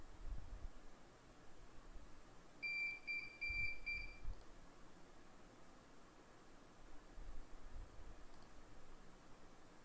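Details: CP Plus CCTV DVR: shrill two-tone beep repeating in quick bursts over quiet room hiss; alarm for no hard disk fitted, can be silenced in alarm setup.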